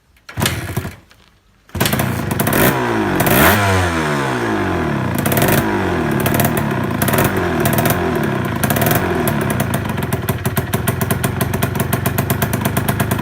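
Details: Shogun's first start after restoration, with fresh fuel: a few starter attempts, then the bike catches, revs briefly and settles into an even, quick idle beat. Healthy start.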